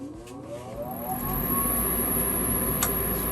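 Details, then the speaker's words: New Fasco replacement draft induction blower (part 119256-00 / ICP 1014341 JA) on a gas furnace at power-up after the noisy old motor was replaced; whir climbs smoothly then holds a quiet hum: normal draft inducer startup. "nice it's a much quieter motor so yeah definitely the old motor was it was going out it was making a lot of noise"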